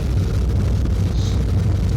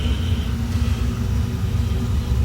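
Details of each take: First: Miller MOC 80 oil furnace burner, first test fire after nozzle replacement and electrode cleaning: a deep, rough, uneven rumble. Excess oil probably left in the chamber from earlier failed start attempts is burning off, making it smoky. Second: Miller MOC 80 oil furnace burner after nozzle replacement and electrode gapping, retried once excess oil burned off: a deep, steady, even rumble with no sputter. It fires right up and runs smoothly.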